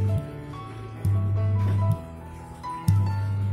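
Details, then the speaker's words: Old Simbada 2.1 active subwoofer speaker: a loud steady low hum cuts in and out as the amplifier is switched on and off, a mains hum fault. "Oke, terdengar jelas berdengung. Nah, kerusakan dari speaker ini kondisinya seperti ini ya."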